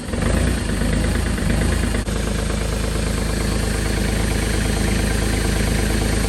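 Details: Kubota L2502 diesel tractor cold start at about -17 °C (1 °F), glow plugs cycled twice, full throttle: cranks, catches and settles into steady clattering run; normal cold start and idle.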